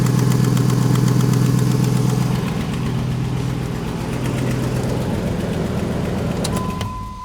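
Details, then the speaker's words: 2005 Jeep Grand Cherokee engine at idle: loud rapid ticking puff on the exhaust note. Loud exhaust leak on the driver's side; suspected EGR crossover pipe, exhaust manifold, or manifold/flange gasket. "but it does have an exhaust leak that's pretty loud on the driver's side you guys can hear that it's it's pretty prevalent it's very loud"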